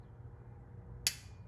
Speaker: you hear the compressors start and then that'll click this freezer will no longer run compressor will start a little bit and then that will that clicking sound will start